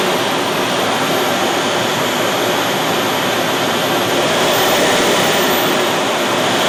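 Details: Boomerang Atom / FTL Lancer RC jet turbine, engine run on a new fuel system with vectored thrust: steady high-pitched roar with a smooth airy whoosh, no surging or stumbling; smooth, good throttle band, lots of power.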